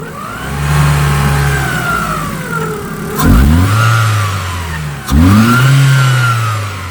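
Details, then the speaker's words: Opel Astra G 1.8 16v after a full timing kit job (belts, rollers, water pump, seals); two sharp rev blips with a rising, wavering whirr and rough undertone. Abnormal noise when revving. "Voilà. On entend ce fameux bruit. Je sais pas si on va entendre."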